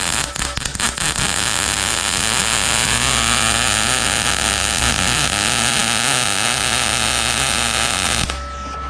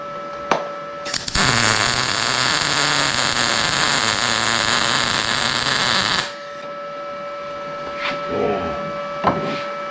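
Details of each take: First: Arccaptain MIG 200 welder: irregular, spattery crackle and popping instead of a steady frying sizzle; travel a little too fast, nozzle too far away (should be about quarter to half inch), wire stickout too long, audible in the sound. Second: Arccaptain MIG 200 welder, settings shown in amperage: a steady, even crackling sizzle for about five seconds, then a clean cutoff; a smooth, well-set MIG weld with good penetration, near blow-through, so the setting could come down.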